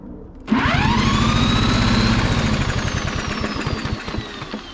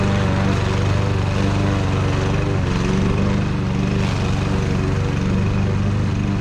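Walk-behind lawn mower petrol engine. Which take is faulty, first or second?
first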